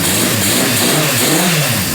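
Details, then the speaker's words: 1978 Honda CB550K after restoration, engine had sewing-machine noise and would not rev; cam chain found off by one tooth and reset. Valve train noise gone, revs up fine with clean pitch rise and fall, no top-end ticking; still warming up. "Okay, so it was off by one tooth. Let's see. Valve train noise is gone. Revs up fine."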